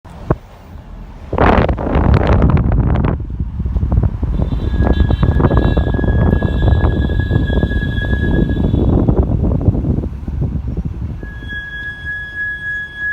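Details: Audi Q5 brake noise while driving: a steady high-pitched squeal comes and goes over heavy wind rush; brake squeal, cause not stated.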